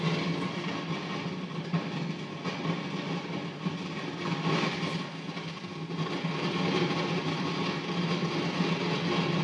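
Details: Modded Marshall JVM tube guitar amps, warmed up and off standby: dense crackle and irregular pops over a steady hum, growing louder; absent through headphones and when the V5 preamp tube is pulled; cause unknown.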